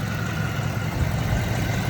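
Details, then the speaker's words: 2001 Cadillac DeVille after EGR valve replacement and MAF and throttle body cleaning for P1404, air conditioning running: steady, even low idle rumble with no misses or knocks; idles smoothly, normal. "um yeah running the air conditioner now see how that runs out"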